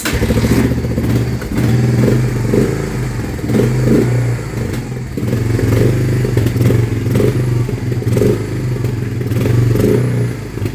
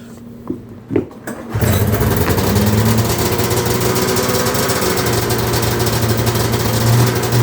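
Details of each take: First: 1993 Honda Fourtrax 300 ATV single, freshly revived with new battery, idling very low and unevenly with a heavy low knock and clatter each beat; stalled after ten minutes earlier; owner suspects rod knock, possibly too-low idle, unconfirmed. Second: Cold start of a $130 Arctic Cat 340 snowmobile, fresh oil, exhaust hole repaired, water previously in the tank: a few pulls, then the cold two-stroke fires at once and settles to a steady, even buzzing idle; healthy start.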